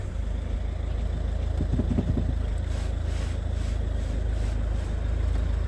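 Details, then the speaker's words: Ford Mondeo Mk4 at idle after steering rack repair, steering lock released: low even rumble with no clunks, knocks or groans from the steering; normal steering operation. "słyszysz coś Nic nie słychać"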